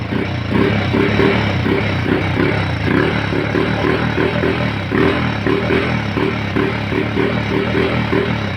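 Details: Rusi scooter that previously would not start, now running after a clogged fuel cock was found and cleared: small single-cylinder engine running steadily with an even, quick putter and no misses or stalls, sounding healthy.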